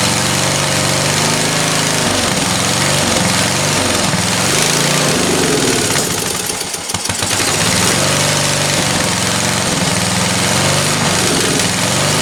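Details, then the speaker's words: Free roadside-find ride-on lawn tractor, small single-cylinder engine chugging unevenly, speed hunting and dipping; runs only on choke, idle needs big adjustment; owner thinks it's not getting enough fuel and will adjust the mixture. "yeah that's not good and then it's not running without choke so if it's not running without choke if it needs to be choked it means that i need to reduce the amount of air because it's not getting enough fuel"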